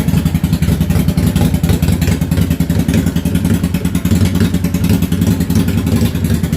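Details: Yamaha V-Star 650 Classic, completely cold, choke off, after new fuel lines, fuel pump and carb work: stumbling idle where the front cylinder drops in and out while the rear fires steadily. Suspected front carb fuel-transfer issue.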